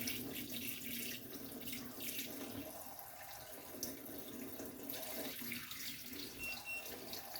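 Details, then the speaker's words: Hotun Detect alarm on a tundish at a PRV discharge: water pours through, then two quick high beeps with two red flashes signal warm water discharging. "you hear there the 2 beeps. Okay, so we'll go full on. So this will be the water roasting, just a bit too hot to touch. And you can see we're getting the 2 beeps now and the 2 red flashes."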